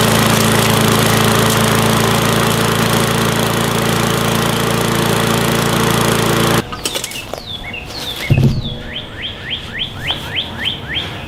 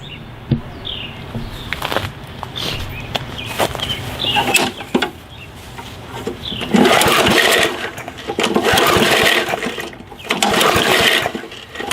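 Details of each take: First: Gas lawn mower that wouldn't start from stored untreated fuel, after carburetor adjustment: steady even small-engine drone without misses or surging, then shut off; running normally. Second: Gas lawn mower that won't start: repeated recoil pulls, each a short whir that dies with no firing. Suspected cause is stored fuel left without treatment, water-oxidizing the carburetor orifices and blocking fuel flow.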